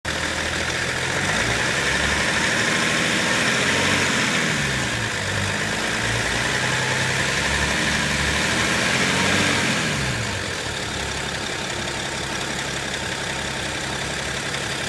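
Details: BMW E61 535d diesel with a new torque converter, about one week/500 km after installation: pitch swings up and down under a steady high hiss and whine, loud in D and R, with unstable rpm; owner suspects the torque converter.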